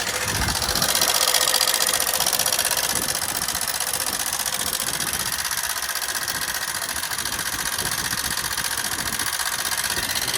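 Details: Hero Super Splendor BS6 i3s, 4321 km, at idle: fast, fairly even metallic ticking about four per second over the engine; engine oil found completely empty, worn, oil-starved rocker arms.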